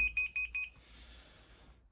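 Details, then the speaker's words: Indesit Moon washing machine retrofitted with an SXY3388 universal control board, started on a 40° wash: four quick high beeps about a quarter second apart, then quiet, flagging a door switch error; the interlock wiring is uncertain. "Start. Wash is flashing. Door switch error."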